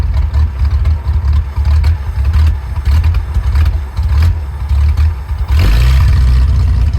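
Low, lumpy idle with uneven thumps and sagging beats instead of a steady putter, so the engine is idling rough.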